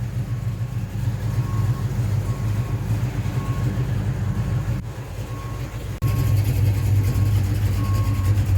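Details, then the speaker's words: 1970 Pontiac LeMans, rebuilt 455 V8 with 6x heads, Edelbrock dual-plane intake, modified Quadrajet and MSD 6AL-2 ignition, after ignition troubleshooting: steady, even low V8 rumble with no stumbles, still running after 20 minutes. "Yeah. She sounds good. It's fun when muscle cars flex. Okay. 20 minutes later, she's still running."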